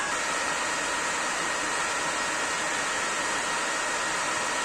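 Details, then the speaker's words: First-revision PS4 Pro, lid open, after 15+ minutes running: loud, constant rushing fan with a faint high whistle. MX-4 thermal paste applied a year earlier has degraded; fix is replacing it with Honeywell PTM7950 phase-change pad. "Консоль добряче розшумілася. Будемо вимикати, розбирати і наносити термоінтерфейс."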